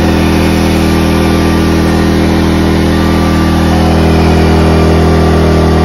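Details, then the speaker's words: Ryobi 2300W/1800W portable inverter generator after carburetor repair for idle surging, running smooth and steady under a load test with no surging or hunting. "the generator is running really smooth that is music to my ears"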